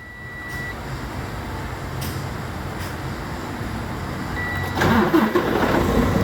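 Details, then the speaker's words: Freightliner Cascadia with an intermittent no-start complaint, starter voltage and computer monitored: steady cranking for several seconds then a clean start, third successful start in a row, fault not reproduced; normal cranking and start. "Now it's the third time in a row that this truck is started, but I've been doing this all morning, ladies and gentlemen."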